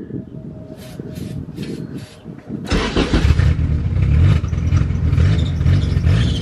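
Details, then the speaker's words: Engine cranks with sputtering, then runs rough and uneven only while brake cleaner is sprayed in; fuel pump very quiet when key cycled, fuel starvation suspected. "there see brave and spraying the brake cleaner in there all right you stop it'll only run while you're spraying brake cleaner in there"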